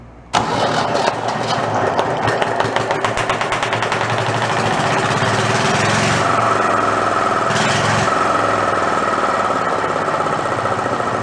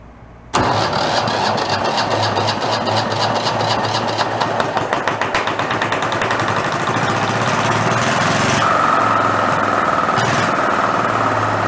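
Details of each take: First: Renault single-cylinder marine diesel revived after about 20 years in a shed, with fuel now reaching the pump and throttle set all the way down. It catches at once into a loud, steady, unmuffled chug of three to four beats a second. Won't shut off; air must be starved. Normal running. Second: Renault single-cylinder marine diesel, spare that sat about 20 years in a shed, being coaxed to idle. It chugs unevenly and never settles as fuel empties from the cup reservoir fast; a bad line sucking air is suspected. Fuel starvation.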